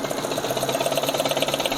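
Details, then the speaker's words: Injected car engine, oil about 2,000–3,000 km old, cold start with oil cap off: loud rapid tapping clatter over idle, oil not splashing up to the top end suggesting blocked lubrication; stuck VVT-i oil control valve. "dengar suaranya ya sangat kencang sekali Hai ini bukan bunyi yang normal masih ya"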